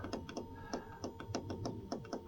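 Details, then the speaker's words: Blazecore/Hcalory 8 kW all-in-one diesel heater at first power-on, purging with temperature turned up to full, microphone close: light, crisp, fairly even ticks about four a second over a soft hum as the diesel pump primes fuel normally. "As you can hear the little tapping, that is the diesel pump now starting"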